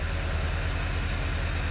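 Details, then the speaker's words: 2009 VW Eos 2.0T with 144,000 miles and a flashing check engine light, idling low and uneven with a regular stumble. The misfire counter shows cylinder three; an ignition coil is the suspected culprit, possibly worn plugs. "Cinder number three is counting up has 144,000 mil on it so on something with this many miles on it the culprit is usually an ignition coil"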